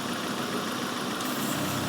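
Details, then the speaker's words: Engine idling around 800–900 rpm with a vacuum leak introduced during a vacuum gauge demonstration: uneven, laboured idle with revs sagging and struggling, as the leak lets in atmospheric pressure and upsets the mixture. "You hear it struggling? It's going down. It keeps going down. It's having trouble getting that oxygen in there."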